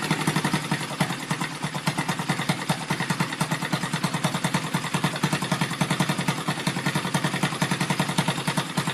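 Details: Rebuilt Yamaha Vega (Crypton) single-cylinder engine with balancer, running on the bench without a frame after a rebored cylinder: even idle about 3.5 beats per second with light metallic clatter on top; the builder identifies balancer gear noise.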